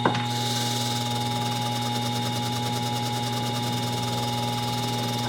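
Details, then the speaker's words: Restored old General Electric motor with a grinder arbor spinning a wire wheel that has a factory high spot. A steady motor hum with a faint fast tick once per wheel revolution, caused by the high spot on the wire wheel. "And to be fair, this wire wheel came with some factory issues. Here's a little ball peen hammer here. I'm gonna hold it still. It's got a high spot."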